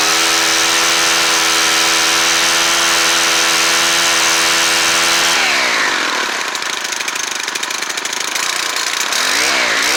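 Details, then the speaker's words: Stihl FS90R string trimmer with its old carburetor (primer bulb shot), before Hipa carb install: steady even buzzing idle that picks up speed cleanly and settles back; sounds healthy. "that sounds pretty good but uh we're going to change the carburetor anyway since we have one"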